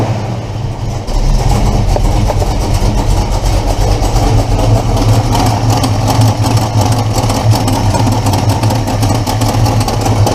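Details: Engine after replacing the exhaust header gasket: rough idle with a sharp puffing tick keeping time with firing; upper ports sealed but every lower port still leaks, one header flange has a missing chunk; exhaust manifold leak persists.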